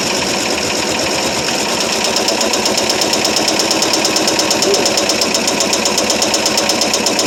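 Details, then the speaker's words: 1973 Ford F100 390 FE, first cold start after about 30 years sitting with previously stuck engine, running on gas poured in carb: rough uneven smoky idle with sharp metallic clatter, oil pressure unknown; owner fears it may have just locked up. "Don't sound real good, doesn't it? >> It idles a little bit. >> Yeah. >> Yeah. It don't sound real good."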